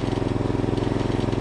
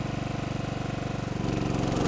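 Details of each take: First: 1989 John Deere RX75 small riding mower, single-cylinder engine just started on choke and idling in neutral; quick even chuff with a slight faint rattle at idle, source unclear. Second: 1989 John Deere RX75 riding mower cutting grass, possibly cutting a little low: small single-cylinder engine holds a steady, even beat with a smooth blade hum. Running healthy under load, with no issues.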